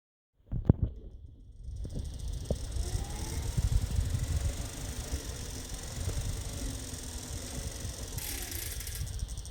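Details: Tacx Bushido Smart trainer, pedalling after 5–10 minutes of harder workout: rumble with sharp irregular clicks and rattles over a faint spinning whine.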